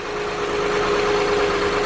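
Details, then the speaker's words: Engine run without power steering pump, alternator hookup or serpentine belt, hoping the valves weren't bent: smooth, even idle with a steady hum and no knocks, ticks or misses. Much quieter; sounds healthy. "so much quieter but you can go ahead and kill it that's magic that makes me so much happier"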